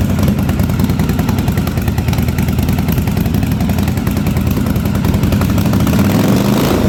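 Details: 1983 Yamaha Virago 920 V-twin barn find, first idle after storage, plug replaced, fuel leaking: uneven lumpy idle with irregular clatter, front cylinder dropping in and out; owner unsure if fuel, intermittent misfire.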